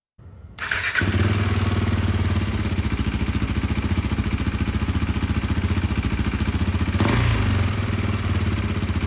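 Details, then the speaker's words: KTM RC 390 single after a DIY valve adjustment, mic muffled in sweatshirt; steady even thumping after start-up with slight rev rise near the end, no ticking, misfires or smoke: runs healthy. "no smoke it uh starts easier rev's fine idle's fine no more smoke I'm happy with it"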